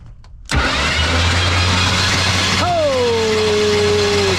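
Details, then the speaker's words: 1980s Chevy C10 abandoned about 20–22 years in the woods, cranked with a remote starter trigger and no spark plugs fitted: the starter spins the engine fast and even without compression pulses, then winds down. Good starter, engine turns freely. "Wait a minute. That's a pretty good starter right there. She is turning and burning."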